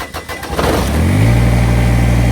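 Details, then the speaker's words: Kubota BX1850 diesel tractor, bought about 2008, after new ignition switch, battery and terminal: a few cranking turns, fires promptly into smooth steady low idle with no knocks; healthy, now also shuts off properly. "See if we can start it up. I'll be damned. She's working again. That's the new ignition. That's the new battery."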